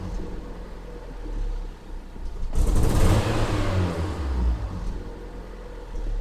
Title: Fiat punto 188 mancate accensioni Misfire